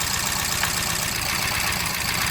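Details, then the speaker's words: Hyundai Accent petrol engine at idle with a bad misfire, shaking: swapping coils moved the fault from cylinder 4 to cylinder 3, confirming the ignition coil needs replacing. Rough, uneven, lumpy stumbling idle, missing on one cylinder. "now you see how the engine is doing that. So at that point, we can confirm that the ignition coil needs to be replaced."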